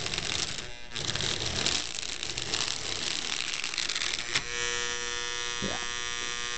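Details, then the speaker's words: Lionel 602 Seaboard NW2 switcher running in reverse: motor whirs with a harsh, gritty rasp, then settles to a buzzing hum; the loose frame lets the gears misalign, running rough. "see that way run in reverse it's a little rough but it runs"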